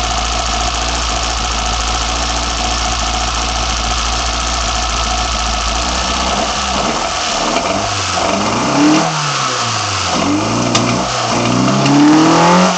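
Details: BMW 318i with M10 four-cylinder engine, first startup after fitting sidedraft individual throttle bodies (Carburetor Man / Dramatic Racing): steady idle, then several crisp throttle blips rising and falling cleanly, no misfire or stumble; normal idle and revving.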